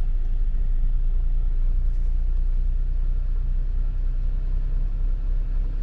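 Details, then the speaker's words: Suzuki Splash 1.0 after fuel pump replacement, once air clears from the fuel system: steady, even low idle rumble with no misses or stumbles, running normally after a few seconds of shaking. "because there is a air in the system the engine can shake a little but after a few seconds everything is looking okay"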